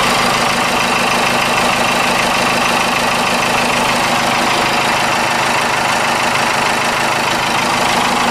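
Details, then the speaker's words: 4BT Cummins with starting issues, just primed after earlier air in the fuel system: diesel idle clatter with uneven beat and occasional dropped pulse, about three a second; intermittent misfire, cause unconfirmed. "so but now you hear it it's you'll know what it misses"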